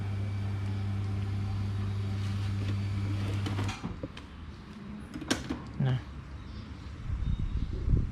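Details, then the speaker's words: Hatari 16–18 inch electric fan after new front and rear bushings and oiling, fixing slow spin and noise: smooth steady motor hum with no rattle or scraping on speeds 1 and 2; runs quietly and strongly. "ได้ยินเสียงลมไหมครับมีเบอร์ 1นะเบอร์ 2แรงมันใหม่นะครับเสียงไม่ดัง"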